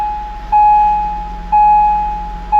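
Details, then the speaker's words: 2007–2013 Acura MDX on first start after Arnott strut conversion and active damper system delete: clear chime about once a second over faint hum, tailgate-open warning, with no other problems shown. Tailgate open warning chime. "Oh, it says my tailgate's open. Imagine that."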